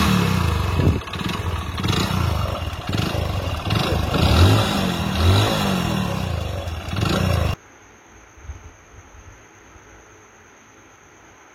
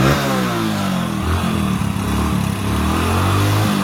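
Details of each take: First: Hero Splendor Plus single-cylinder bike idling with a heavy, uneven clatter from deep inside the failed engine: a worn connecting rod knocking. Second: Hero Splendor Plus single-cylinder engine after full rebuild for connecting rod knock: running steadily at a low, even pace with no deep bottom-end knock; only a light valve tick from loose valves and timing chain.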